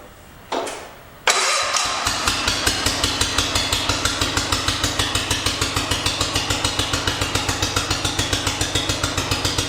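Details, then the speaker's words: 1974 John Deere 112 after swapping the 12 hp Kohler K301 for a 16 hp Kohler K341 and fitting new, adjusted points to replace the corroded ones: quick crank, then a steady, even single-cylinder idle beat. Running much better. "already sounds a lot better"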